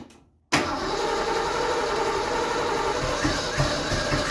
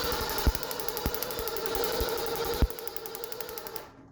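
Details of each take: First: Fox Body Mustang off the road about 20 years, first start attempt on starting fluid: long steady crank with a few weak uneven catches that never run, then stops; fuel starvation, only sprayed fluid in intake burning. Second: Fox Body Mustang off the road about 20 years, cranking on the starter with the coil disconnected after brake cleaner was sprayed into the intake: steady, evenly spaced compression pulses, with compression sounding even across cylinders; normal cranking compression.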